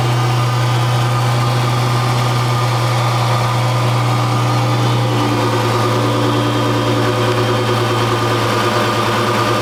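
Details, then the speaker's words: Dodge 3.5L V6 (LX) after rocker arm shaft replacement fixed a loud ticking: a smooth, even idle with a steady low hum and no ticking. A normal, healthy valvetrain. "I had a request to see what the engine noise sounded like now that it's been fixed."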